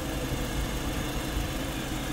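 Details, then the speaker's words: VW Lupo 1.6 after cylinder head rebuild and head gasket replacement (oil had been contaminated): deep, even idle at constant speed with no squeal, tick or misfire; runs perfectly, no leaks. "Miren el carrito está trabajando en perfectas condiciones ya le pusimos su tapa y cómo lo escuchan Pues yo lo escucho de 10 lo escuchamos de 10 el poderosísimo lupo"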